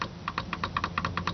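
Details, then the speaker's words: 2000 Oldsmobile Bravada rear door window motor, door panel off, switch operated: sharp dry clicks, mostly in pairs, with no motor whir. Switch and wiring are fine; the motor is probably jammed, possibly needing its brushes cleaned. "so there it is so it's click in so that means the switch is fine that means the power going to everything is fine it's not a wiring issue it's the motor and the motor's probably just jammed"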